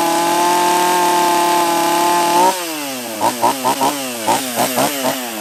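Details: Husqvarna 44 chainsaw after a new carb kit (first suspected bottom end), base gasket removed to raise intake duration, after a cold start: steady high buzz, then idle with quick throttle blips that rev up and settle cleanly, running fine.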